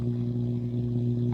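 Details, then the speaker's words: Akai AP-207 direct-drive automatic turntable during testing after service: steady low hum of several even tones with no rhythm in the audio output. Hum source not yet found; cartridge to be tested first. "there is sound coming to the stylus so you can hear there we're getting this God awful sound"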